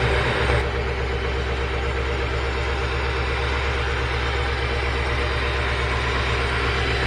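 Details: 1968 Rolls-Royce Silver Shadow convertible (Corniche) with replacement Chevy 350 V8 (previous crate engine had cracked block): steady, lopey idle with even low rumble and slight cam lilt; no knocks or misses, running fine.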